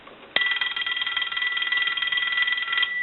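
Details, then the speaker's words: Stromberg Carlson 2-1553 rotary wall telephone under repair, analyzer on normal ring setting simulating a normal-voltage incoming call: loud even rapid ringing about four strikes a second, louder than the low setting, bell rings properly. "now we're going to use a normal ring setting like a normal call coming in with a telephone line that would have a normal voltage on it so we'll go ahead and do it normal"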